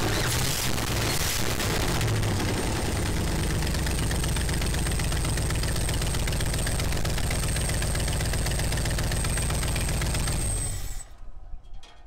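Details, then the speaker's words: 1967 Ford Galaxie 500 four-door V8, first start after long sitting, tank drained, new gas, new fuel line, coil jumped, new battery, carb uncleaned: loud lumpy idle with crackling putter each firing pulse; really bad exhaust leak; then shuts off. "really bad exhaust L uh but it starts right up"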